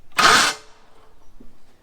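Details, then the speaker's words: Ford Thunderbird that had been abandoned, old battery hooked up, starter solenoid jumped: high whir spins up and dies with no cranking; starter's teeth not hitting the flywheel, owner will roll the motor to a different spot on the flywheel. "sounds like the starter's coming out but it's not hitting anything with the teeth so i'm going to roll the motor over manually get it to a different spot on the flywheel"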